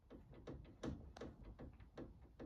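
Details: Hayabusa-engined mini race car, rear wheel rocked by hand during race prep: dull light knocks roughly three or four a second; play in the rose joint bearing, new only two race meetings ago.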